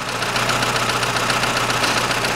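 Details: 2006 Chevrolet Lanos, 1.5 petrol, manual, FWD, 342,000 km: light quick valve tapping over steady idle after a cheap rocker arm was replaced; quieter than before; camshaft and FEBI rockers to be replaced.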